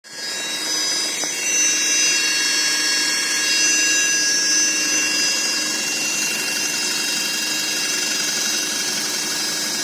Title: Audi Q5 2.0L turbo - Whining noise from gearbox